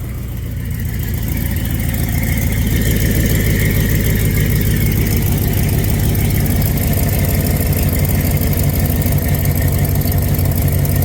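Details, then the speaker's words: Plymouth Cuda V8 at idle just after startup, suspension freshly finished: steady lumpy idle with a fast rhythmic puffing tick on the exhaust pulses, exhaust leak still present; cheap F-body headers being considered as the replacement. "still got that exhaust leak"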